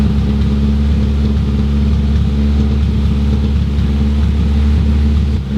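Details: Mk1 Toyota MR2 (GE engine) just started after about 12 years, no exhaust fitted: loud open-pipe four-cylinder running fairly steady with slight unevenness in the low rumble; some roughness, cause not confirmed.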